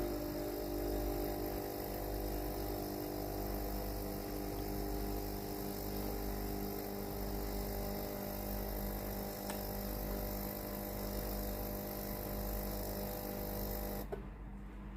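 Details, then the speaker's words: Tefal steam iron GV8950M0/23 with a no-steam complaint, OK light on, plugged in and ready; an even electric buzz and hum, then a clean cutoff, shows the water pump running normally. "L'appareil est prêt à l'emploi. Appuyez sur le bouton d'arrivée d'eau pour tester le système de vapeur. L'appareil fonctionne normalement."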